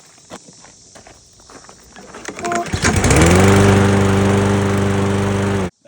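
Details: Briggs & Stratton EX 675 mower engine that started then stalled: small single-cylinder catches after a few tries, then settles into smooth steady even beat with no misses; runs clean.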